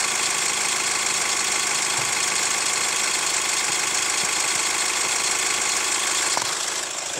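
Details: Hyundai ix35 CRDi 136 hp diesel, hot engine idling: faint steady light tapping over hiss, ringing sharper with a touch of throttle; heard best from wheel side; chain damper hydraulic tensioner replaced 1.5 years ago, dealer found nothing, cause unclear.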